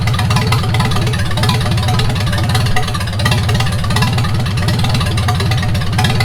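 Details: 1942 Farmall H tractor, hand-cranked and started after transmission repair (scraping/screeching and hard shifting from reverse fixed), carburetor not yet adjusted: steady, even low thump at idle with no knocks or misses; normal idle.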